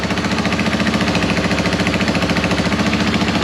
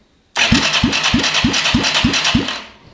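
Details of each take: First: Yamaha YFM225 ATV single-cylinder, first start after rebuild and oil priming: steady idle about three and a half beats a second with a sharp chuffing tick each pulse, suggesting a small exhaust leak; some smoke, likely burning WD-40 and penetrant, no oil leaks. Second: Yamaha YFM225 ATV rebuild, first start attempt after rewiring and battery: starter turns the engine over in even pulses about three a second but it never fires; cranking works, not yet started.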